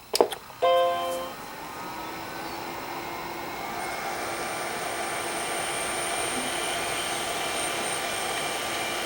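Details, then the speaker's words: Original Macintosh II with dead batteries, capacitor leakage and a stuck floppy, unknown hard drive just plugged in: startup chime, then a thin, steady high whine settles over a soft hum. Normal hard drive spin-up, and the machine works. "Well, it's spun up. Oh, wow, it works."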